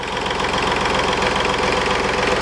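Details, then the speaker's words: 2010 Smart Fortwo 451 0.8 diesel idling after fuel filter (MAHLE KL-165/1) replacement: fast buzzy plastic rattle on the engine beat as the fan shroud (diffuser) rattles; worn plastic Mercedes latch loosens over time. "А так, это мерседесовская защелка. Она разбалтывается со временем. И появляется вот такой звук. Диффузор дребезжит."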